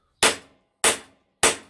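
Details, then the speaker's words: Honda CB750K steering head roller bearing upgrade: three evenly spaced hammer blows on the drift, each with a clear bright ring rather than a dull thud, showing the bearing race is fully seated. "there's a ring to that rather than just a dull thought pretty confident that's okay now"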